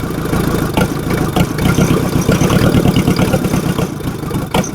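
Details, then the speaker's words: Rebuilt Yanmar 4TNE98 diesel for a Caterpillar 216 skid steer, first test run: lumpy, irregular, loping idle. Fuel lines not full and the engine seemed not to be sucking fuel. After moving the lines it ran much better; more fuel was then added to the can. "having trouble added a bunch more fuel to the can see if that helps it's kind of acting like it was not getting enough there we"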